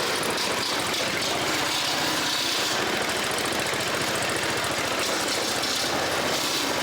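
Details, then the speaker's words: Toro Z Master 5000 lawn mower: fast, regular harsh rattly knock riding on the idle beat over a steady hiss; oil level checked and fine; bad mechanical knock of unknown origin. "Wow. Something sounds like death on this. It sounds nasty. I don't know what that is. Phew. I checked the oil on it. I mean, it's got oil. It sounds like it's knocking bad."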